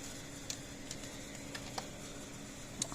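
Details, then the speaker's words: 35-year-old Blitzer 8555A solid-state fence charger after repair with transformer refitted, test bulb in circuit: sharp light ticks about once a second, bulb flashing, good output voltage; pulsing normally. "light bulbs flashing so getting good voltage hot out of it so this unit is technically working"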